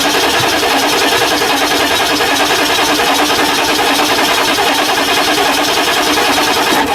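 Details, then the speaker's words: 1999 Ford F350 7.3L diesel just after injector cup replacement, hydrolocked from oil left in cylinders and turned over by hand; after starting, loud uneven clatter with harsh rattle and heavy smoke while it clears: rough running after start. "holy poop did you get that yeah nice so the smoke coming out let that run till it clears up"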